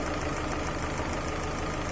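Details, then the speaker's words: 2007 Chevrolet Lacetti 1.8 with a ticking engine, after unplugging the intake manifold flap connector: even, steady, quieter idle with a smooth low hum and no ticking. The clicking came from the manifold flap, not the hydraulic lifters. "Її включаємо, мотор, ну, зовсім по-другому, вже тихо робить."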